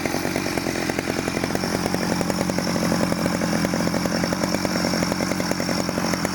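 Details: 1991 Stihl 009L chainsaw after rebuild: fast, even two-stroke firing at steady speed without stumbling or misfires; runs clean and healthy.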